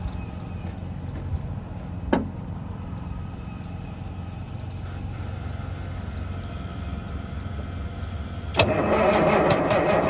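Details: 1971 Peterbilt 352 diesel, new fuel line and filter primed with ATF and diesel, ether used, on a jump pack; steady starter churn about four beats a second without catching, brief flare near the end. Weak batteries suspected.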